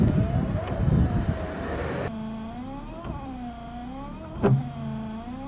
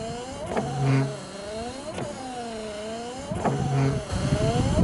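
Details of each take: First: Volvo 940 estate (945) rear wiper motor after tinkering, having previously been found with missing bolts: an even motor hum rising and dipping with each sweep, a soft thump at each reversal and no rattle; the rear wiper now runs much quieter. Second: Volvo 940 estate rear wiper motor after refitting during repair: it whirs through repeated sweeps about every 1.5 s, pitch sagging and rising each stroke, sounding strained but working, and quieter than before.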